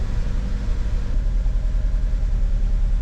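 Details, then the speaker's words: 2009 Ford Fusion 2.3L petrol, after fixing loose cam position sensor and broken cylinder head temperature sensor: lumpy, uneven idle stumbling two or three times a second, lean misfire from vacuum leak at faulty intake manifold; smooths at higher rpm. "still not running the best does say our camp position sensor status no fault cyinder head temperature is climbing the heck was that"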